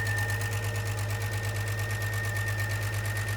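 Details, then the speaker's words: Jeep with 350, first real run after camshaft sensor fix, no oil change yet, needs a muffler: steady idle with light, even tick from the top of the engine over low exhaust drone; oil check and change planned. "It's not really knocking, it's ticking. What is that? We didn't give it an oil change either."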